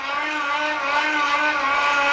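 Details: Homemade pedal generator, Unite MY1016Z3 24V 350W motor, 24-tooth chainring to 9-tooth sprocket, about 80 rpm pedalling for 12V DC into 400W inverter, charging a touchpad, phone and shaver; smooth steady mid-pitched whine, no grinding or rattle; normal light-load running.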